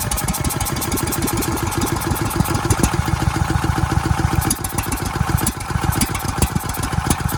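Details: Ridgid generator's Yamaha MZ300 engine cranked with oil added to the cylinder: steady chug about three to four beats a second, no firing; still no start, likely ruling out rings, pointing to a leaking exhaust valve.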